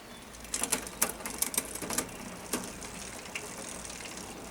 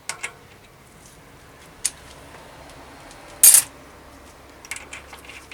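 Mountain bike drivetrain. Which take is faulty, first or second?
first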